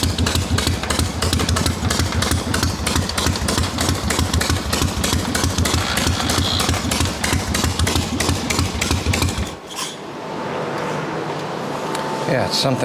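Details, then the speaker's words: Harley XLCH chopper twin running hot on the bench: uneven lope with a rough metallic clatter, about three a second; grinding suspected at the ring gear to kicker teeth engagement, began after fitting the kicker spring, possibly missing kicker gear washers. "I don't like hearing new noise, but it's definitely something on that ring gear to kicker teeth engagement."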